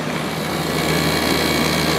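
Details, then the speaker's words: 2003 GE 12,400 BTU window air conditioner (Samsung-made, rated 1,270 W, 11.7 A), after cleaning, compressor running as pressure builds at about 7.3–8.2 A and 727–960 W; steady even hum with fan hiss, no knocking, pressure sounds good: normal compressor running. "The pressure sounds good."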